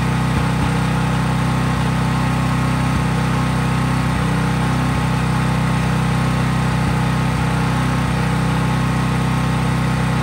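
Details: Craftsman 5000-watt portable generator running outdoors after a cold start at constant full speed, only an LED bulb plugged in, so no load: a steady, even low drone with no hunting or knocks. Healthy no-load running.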